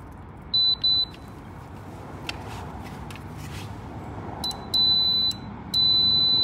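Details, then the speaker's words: D5 sliding gate combined with a single Vantage linear swing arm opener, still in installer mode: high beeps, short then longer steady alignment tones, confirming the safety beams are working at close range. "okay still in installer mode so there's our tone so they are working"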